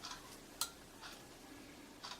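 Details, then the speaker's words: YR1035+ four-wire lithium battery internal resistance tester measuring cells: four sharp, light clicks spaced irregularly over two seconds on a quiet background. Ordinary relay switching inside the tester. "you can hear some relays clicking inside the test machine"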